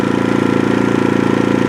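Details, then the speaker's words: New AIVOLT 4300 inverter generator on gasoline, first run in low-idle eco mode, no oil light: soft even putter with smooth fast pulse, no misses or knocks; very quiet walking around it, normal low idle. "As far as noise, I mean, walking around it here, I would have no issue working right next to this thing. I mean, there's nothing."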